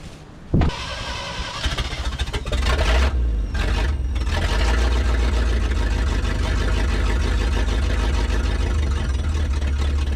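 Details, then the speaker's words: 1963 International Loadstar, abandoned truck started up; fast, steady, loud run with a faint high turbine-like whine on top; owner guesses an accessory or generator squealing, source unconfirmed; accessory whine. "i know she sounds like a turbine's winding up uh now i did install a supercharger sorry to disappoint y'all uh i'm guessing a uh what do you call those things accessory squealing generator or something"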